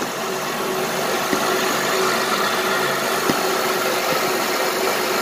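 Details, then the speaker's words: 2007 Honda Pilot 4x4 idling after installing a new alternator and battery: even, steady idle with a soft belt whirr, no knocks, squeals or chirps; belts spinning, engine sounds healthy. "Everything sounds decent. Yeah, the belts are spinning."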